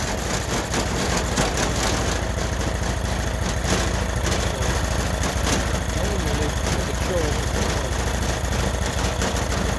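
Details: Freshly rebuilt Honda GX390 13 hp single-cylinder, started by choking manually: even, steady low thump with no misses or knocks; runs well, but the vacuum auto choke module is suspected of not choking, so it won't start without manual choke.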